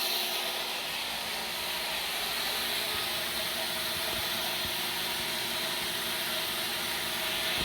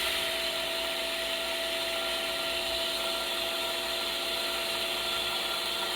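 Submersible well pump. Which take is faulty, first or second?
second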